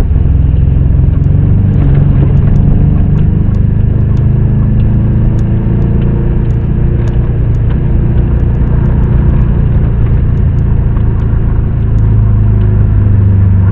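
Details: 2022 AMEC ice racing car, SLS4 class, turbocharged engine, Lake Algonquin heat: heavy, low rumble under load as cylinder 2 quits at the end of the straight; back pressure popped the PCV hoses and sprayed oil on the turbo side, heavy smoke; power lost.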